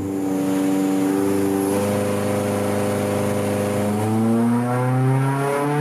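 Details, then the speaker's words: Honda K24-swapped Mazda 121 with drive-by-wire Yamaha R1 ITBs, 75% throttle pull while tuning: the engine pulls up with a rising tone, then the note hardens into a louder honk as the VTEC high cam engages. "this time you should hear the VTEC cam switch in and hear the honk"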